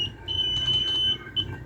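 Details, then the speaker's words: Multimeter continuity check on a totally dead Cosmos fan motor whose thermal fuse is blown: a clean high steady beep for about a second, then a short second chirp, across speed switch positions 1 to 2 and 1 to 3. The speed switch circuits are all connected. "Speed kita cek, harusnya dia bunyi itu. Speed 1 ke 2 ya hidup. Speed 1 ke 3 hidup sobat tuh."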